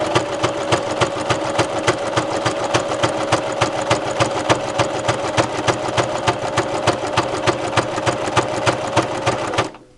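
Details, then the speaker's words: Brother LX3014 sewing machine quilting tightly woven broadcloth with tight stitch: steady heavy thump about three stitches per second with even mechanical clatter; sounds rough but is running normally. "Now it sounds like it's really running rough, but it actually isn't. This is a very tightly woven, like a broadcloth fabric, and it's a tight stitch."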